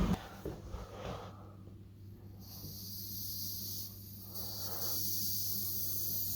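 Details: Bleeding a home radiator again after flush, refilling system pressure from half a bar to one bar: sharp hiss starts, pauses and returns steady over a low hum; trapped air escaping through the radiator bleed valve.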